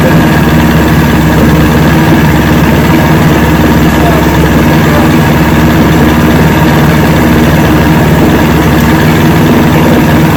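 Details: 1970 Evinrude 85hp outboard with hydroelectric shift, about 50 years old, new water pump impeller, running on a water container after a shift test. Steady, even idle burble with no stumbles or surging; carburetors seem good at idle, full throttle still untested.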